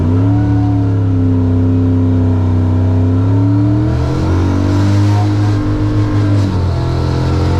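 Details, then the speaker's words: Drag strip wagon at full-throttle pull: engine note rises, then stumbles and pops twice; misfire under load, owner suspects a failing cam/crank sensor (Hall effect) from hot-lapping, not confirmed. "Might crank sink issue is getting worse. That's not good."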